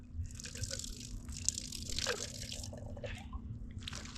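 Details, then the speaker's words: Off-grid gravity-feed water line reopened after winter: irregular drips and spits with uneven gurgling bursts as the faucet sputters, water pushing ice out of the line. "Oh, there we go. It's trying. It had a little sputter. I can hear it pushing the ice out."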